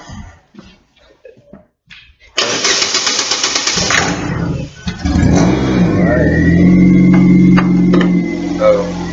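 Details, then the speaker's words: Chevrolet Aveo with crank-no-start: scan tool failed to activate fuel pump; starter fluid sprayed while cranking makes engine fire and run, proving spark and air are fine, so fuel delivery is the fault. "it started up and eliminated that we have air and sport we can continue to diagnose our fuel"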